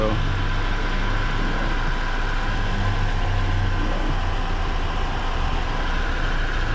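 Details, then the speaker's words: BMW E36 after new spark plugs (old plug in cylinder two oil-fouled) and valve cover gasket: steady low idle with an even rhythm and no misfire stumble, less shaky than before the repair. "yeah let's start it up hopefully it runs a bit better it's not as shaky as it used to be they used to be worse"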